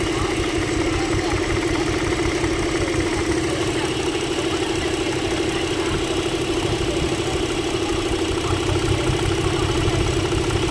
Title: # Chevrolet Engine misfire